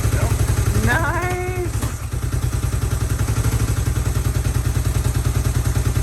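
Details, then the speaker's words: Unrestored vintage Honda CB450 motorcycle, fresh 10W-40 oil, choke on, in neutral, very low fuel: fires right up with quick, even firing into a steady low idle, no knocks or misses; normal. "fires right up oh yeah oh so sweet"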